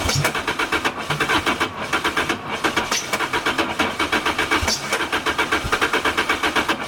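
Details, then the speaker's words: 2006 Lotus Elise turbo 2ZZ, 275 hp, with new spark plugs and new fuel pump: fast even cranking, about seven turns a second, with brief catches that sputter out; cranks, no start, owner suspects the tune. "i'll try one more crank the battery's going to die i have a big giant battery it's going to die but so it's wanting to start and then it sputters out"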